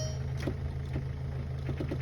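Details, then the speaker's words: VW Beetle, 115,000 miles, cranking on a weak battery with a loose ground terminal: sluggish uneven cranking about two turns a second, never fires; not enough amps, owner suspects battery or bad connection. "Dang, this thing is low. There's not enough amps. I might have to throw that battery on a charger and try another one."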